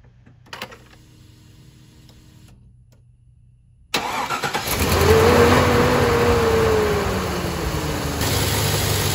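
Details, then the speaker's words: Chevy Trailblazer 5.3L V8 after valve cover gasket replacement and fuel rail reinstalled: quick crank, brief flare near 2000 rpm, settles to even steady idle with no ticking; normal start. "I'm going to put the air intake back on, and we'll go ahead and fire it up."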